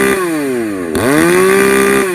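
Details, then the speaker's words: Modified Poulan 4218A chainsaw at full throttle: it screams at high revs, dips briefly and climbs back to a steady howl; the top end still runs a bit rich even though the low end runs lean, and the owner considers shimming the carburetor barrel. "but yeah you can you can hear it on the top end how it still runs a bit uh rich there even despite the low end running lean"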